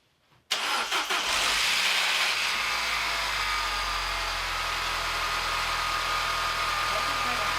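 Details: Peugeot 207cc engine after slipped timing and resetting the timing, first start in neutral: catches right away, then settles into a steady, even run with a hissy top end and no knocks or misfires.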